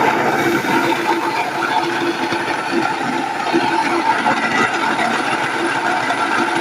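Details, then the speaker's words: Nutrimill Harvest grain mill grinding the first few berries as the stones are adjusted to the fine setting: steady gritty whir with light clicking and crackling, no strain; normal milling. "Then you can hear the stones clicking, making noise."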